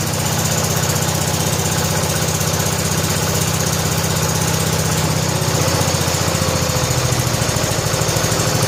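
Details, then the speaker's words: 1970 John Deere H3 garden tractor engine just started after blown head gasket replaced, old oil, cold evening about 47–48°F, idle turned up: steady, even low thump at settled idle with no misses or knocks; running smoothly. "What a sweetheart. Listen to that."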